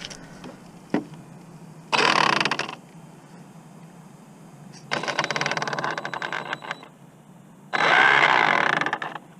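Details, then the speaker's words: Redcat Kaiju RC on a 12T pinion speed run: three harsh grinding bursts each time the throttle opens, with gritty chatter between. Owner suspects the gear mesh is too tight on the spur gear; unconfirmed. "I'm too tight on that spur well there's definitely something going on with this"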